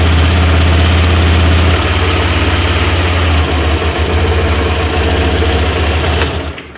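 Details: New Honda Beat scooter idling after fitting a cold-type spark plug; even steady putter at about three to four beats a second over a low hum, then winding down; normal idle.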